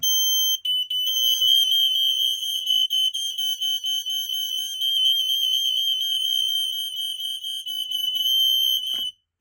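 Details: Kidde i12080A (2023) smoke alarm tested on a demo board: loud, shrill, high-pitched tone pulsing on and off for about nine seconds, then stopping; alarm sounds normally on test.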